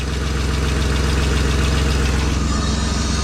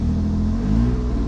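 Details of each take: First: BMW E36 convertible after oil pan replacement and fresh oil: warm petrol engine idles smoothly and steadily with no rod knock. The engine survived the cracked oil pan. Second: BMW E36 convertible after oil pan replacement, engine started at steady fast idle: loud, deep, raspy rumble from an exhaust leak, sounds pretty awful; exhaust leak still to be fixed.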